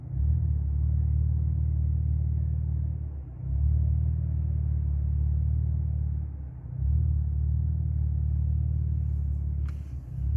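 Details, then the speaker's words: Tuned Cadillac LF3/LF4 (CTS-V Sport/ATS-V) at idle: low rumble sags briefly about every three seconds, rpm dipping from about 700 to 600 then recovering; idle hunting, no misfire or check engine light, drives fine, cause unclear. "but the rpms do drop from about seven about 700 or so they drop down to about six and it just car drives fine"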